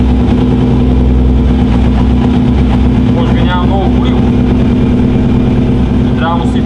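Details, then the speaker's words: Yamaha T-Max scooter, crash-damaged, just reassembled and first started indoors in a closed workshop; engine runs loud and rough with a heavy constant low drone and smoke, noted as very noisy, cause unclear. "Много шумен. Малко е шумничък."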